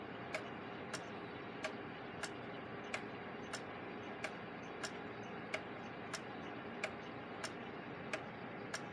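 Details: Gilbert long-drop octagon pendulum clock after rebuild and beat adjustment, back on the wall: crisp, evenly spaced ticks about ninety a minute with a quiet background; clock running in beat.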